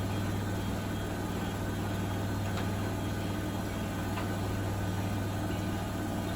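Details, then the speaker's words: Bosch WFP3300 washer with new bearings and door seal, citric acid test wash, on flat ground: smooth low even hum as spin revs rise, no rumble or grinding, not fully silent but quiet; normal spin. "So it's not super silent as it goes through. As it goes through the spin and increases the revs, but it's pretty good. It's not ringing in my ears like the other machines."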